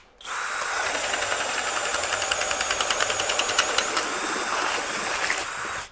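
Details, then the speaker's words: Kobalt KHD124 24V brushless hammer drill in speed one driving a 2-9/16 inch self-driving auger bit through pressure-treated wood, after failing in speed two; steady motor buzz with rapid regular chatter as the bit cuts; no problem. "yeah so in speed one no problem driving that 2 and 9 16 inch bit"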